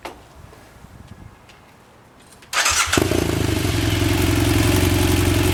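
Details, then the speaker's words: BMW F800 twin, idling just after start: light, busy metallic rattle over fast idle; deflated cam chain tensioner or incorrectly set mechanical adjuster giving slack cam chain. "okay so this is what a deflated cam chain tensioner will normally sound like so the society also if you don't have that your adjuster set correctly this is the noise that you will hear as well"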